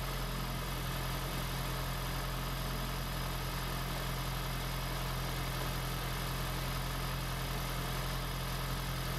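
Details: 2016 (4th-gen) Prius engine just swapped into a 2012 Prius V, first run in maintenance mode, car on jack stands, coolant air still to bleed; low steady idle hum with slight unevenness, settling into fairly smooth idle.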